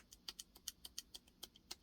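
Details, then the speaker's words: Clutch basket rocked by hand: sharp metallic clacks about six a second from bad rubber damper pucks (six dampers), giving about 1/8 inch of play. "When a dampener goes bad, this is the result."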